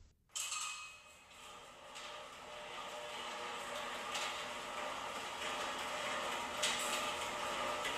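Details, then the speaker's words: Genie Pro Max garage door opener raising the door; steady whir and light rattle, no squeal. Normal operation. "Oh yeah, and we even fixed the problem with the squeaking on the right door as well, because it squeaks so loud on the way up."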